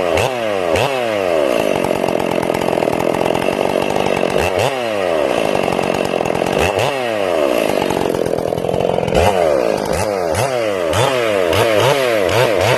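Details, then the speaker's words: Ported Stihl MS461 chainsaw, first cuts, not broken in, carb set a little rich; revs rise and fall entering and leaving the cut with uneven burbling, sounding like four-stroking, partly from the rev-limited coil. "Now notice that you hear the saw 4-stroking as it enters the wood and as it exits the wood."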